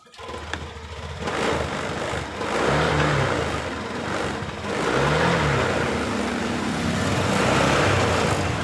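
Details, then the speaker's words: Honda Beat LED Deluxe scooter with a code 7 history. Engine starts and revs, but the note wavers and stumbles ("brebet") at initial throttle, sometimes normal. Sputtering with the cause unconfirmed; the EOT sensor is suspected before scanner checks. "Motornya mengalami berebet. Motor sudah hidup tapi mal eh rada berebet seperti [Tepuk tangan] ini."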